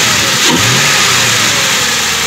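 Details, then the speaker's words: 2000 Ford Crown Victoria interceptor, ex-police, after replacing EGR valve, MAF, TPS and intake control valve for idle problems: engine blips up cleanly and settles without bogging; runs decent, with typical lifter taps. "Other than that, runs pretty decent, it sounds like. I mean, you have the infamous Vic lifter taps, but I mean, other than that, it seems to be pretty stable."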